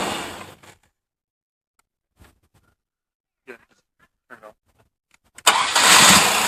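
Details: 1998 Chevy S10 4.3 V6, over 310,000 miles, starting after a new belt tensioner, idler pulley and serpentine belt replaced a melted pulley. Cranks and catches cleanly into a steady idle with no belt squeal or chirp.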